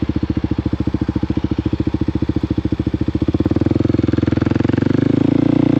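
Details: Kawasaki KOX 300 SM single-cylinder motorcycle riding through downshifts and upshifts: steady thumping with a clean step in engine note at the gear change, no clunk or grind; smooth gear shifts.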